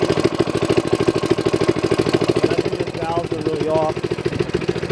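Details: Manco minibike single-cylinder engine just got running, idling: steady beat near 200 pulses a minute with no misses, but a light ticking on top, suggesting loose valve clearance (suspected, not confirmed); noisy valve train.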